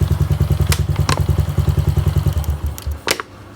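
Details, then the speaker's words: Honda Wave 110i running, then water sprayed on the spark plug cap area: steady single-cylinder thumping falters and dies within a second; stall caused by a leaking spark plug cap. "มีไหมครับดูน้ำดับทันทีซึ่งอาการแบบนี้ไม่ควรจะเป็นนะครับ"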